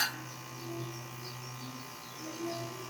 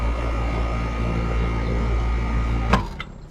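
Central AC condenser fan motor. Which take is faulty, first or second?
first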